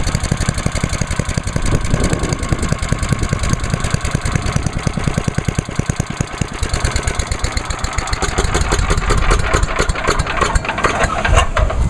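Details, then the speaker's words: Start and idle of a small single-cylinder (1986 Lawnboy 8461 or 1998 MTD chipper/shredder), oil checked, TruFuel with the fuel valve left on, on choke at half throttle; catches and settles into a quick, steady, even chuffing idle with no misses or knocks. Healthy. "Alright, so that's good to go."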